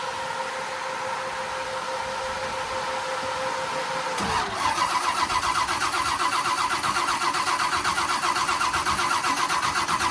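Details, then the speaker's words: 572 big block Camaro cranks with no start, starter turning at a steady four beats a second and the coil heard firing; fuel pressure 52 PSI, RPM signal present, connections tight, and an earlier loose-connector theory now doubted. "So the um I can hear the coil firing."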